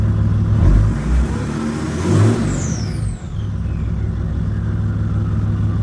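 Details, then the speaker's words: Mercedes W211 E320 CDI, OM648 diesel, 106,000 miles, hot start with check engine light on: two quick clean blips rising and falling, good intake sound, fading whistle to smooth idle; healthy diesel. "It is hot, so there's no uh no cold start. The intake sounds really good on this car, though."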